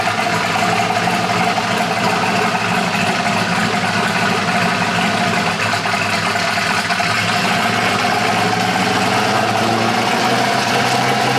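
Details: Polaris RZR with a swapped-in Yamaha Nytro snowmobile triple-cylinder engine, running after its fuel issue was sorted; more sensors still to be added. Steady engine drone at even speed, no stumbles or pops; normal running.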